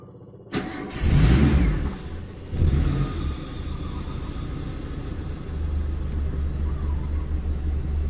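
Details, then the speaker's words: Daihatsu Zebra Espass that made metal-on-metal knocking when warmed up in the morning, after tightening a loose bolt: cranks, catches, revs briefly and settles into a steady, even idle with no knocking left; normal idle. "ini udah enggak terdengar suara aneh dari mesin temen-temen"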